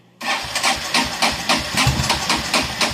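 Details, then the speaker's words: Kawasaki Prairie 400 ATV under repair, spark and fuel reaching cylinder, carburetor overflowing, battery weak and being charged: starter churns steadily at about three and a half strokes per second but engine never catches; cranking without starting. "I guess it sounded like it tried right there"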